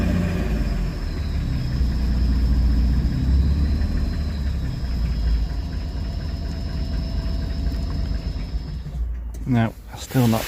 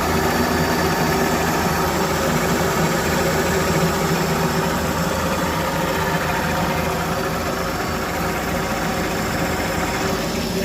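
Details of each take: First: Engine stood about 15 years, second start-up, running with no idle control valve: idles rough and lumpy for about nine seconds, smoking, then dies out completely; cannot hold tick-over. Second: Test run after rebuild, engine warming with power steering working; even, steady idle with smooth low rumble and no misses or knocks, though owner notes it still cuts out at tick over with no idle control valve fitted.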